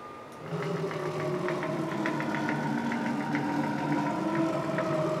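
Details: STEPPERONLINE Nema 23 integrated servo (90W/180W) on a CNC milling machine conversion axis; steady mid-pitched hum with faint higher tones and light ticking, strange humming from the servo, cause unclear; axis noise partly from the ball screw.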